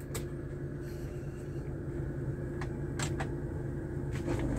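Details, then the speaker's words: Hyundai Avega at idle: engine normal with AC off, but switching AC on brings a steady low rough snoring growl over the idle; AC compressor identified as the cause. "tapi ketika AC on ya saklar AC kita on itu ada suara kasar kayak ngorok"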